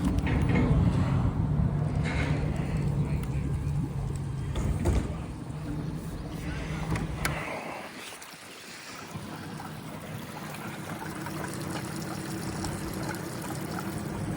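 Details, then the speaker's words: Yamaha 70 outboard just back from repairs to fuel system, injectors, water pump and plugs after bad gas: low, steady rumble at an even pace with rain and wind behind it; normal, smooth running. "So he told me basically, he said the mechanic said they were shocked at how well this thing ran."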